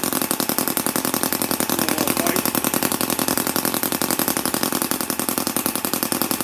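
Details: MUSA Hoglet V2 model motorcycle engine, cold start after a couple of days idle, with a quick choke at about quarter throttle: quick, crisp, even popping beat, steady and unbroken with no misses; runs cleanly.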